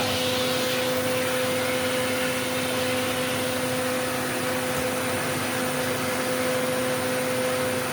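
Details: Eureka The Boss Capture bagless vacuum (curb find) running after repacking 2 brushroll bearings and replacing a broken belt; steady motor whine, constant mid-pitched hum and airy rush, no rattle or surging; normal running.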